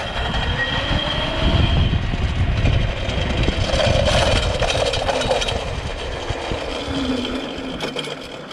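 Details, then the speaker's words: Home-made electric mountain bike, 8000W hub motor as mid-drive through bicycle chain and gears, under hard acceleration: motor whine with rough rapid rattling and grinding from chain drive worsening until it broke. Drivetrain grinding before breakage. "That didn't sound good. That didn't sound good at all. Ah, there we go. That broke it."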